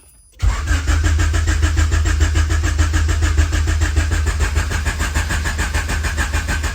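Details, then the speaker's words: H22-swapped CB7 Honda Accord turbo build after battery relocation to trunk and 0 gauge power wire; steady, even cranking for several seconds, never catches; cranks noticeably stronger than before, no-start cause not yet diagnosed, fuel pump and ECU on. "All right, we will diagnose the no start issue a little later, but that was definitely an issue. Just hearing the car crank by itself, way different."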